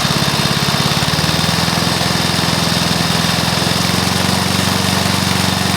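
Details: Briggs & Stratton mower engine (believed early 1984), first start after rebuild with new piston, rings and valves for oil consumption (loose rings, worn valves); steady even single-cylinder chug at constant speed, no knocks or misses; normal running.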